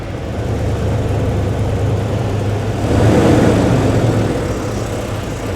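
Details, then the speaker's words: 1993 Ford F-150 on its third engine in two years, cold start warming up; rough low idle worst when cold: idle lopes unevenly about three beats a second with a swelling drone. Rough idle with misfire. "Okay, fire it up, dude. I got a misfire. Just letting I warm up here for a minute."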